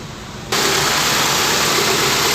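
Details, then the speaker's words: Toyota Corolla twincam liftback (second generation), just started: steady, even idle stable at 800 rpm with no valve clatter, knocks, misses or hunting; engine smooth and healthy. "ya teman-teman ya langsung halus nih Biasanya kan kalau twinkan tuh baru dinyalain kemrecek ya suara klepnya ya tapi untuk ini silinder alus masih nyaman"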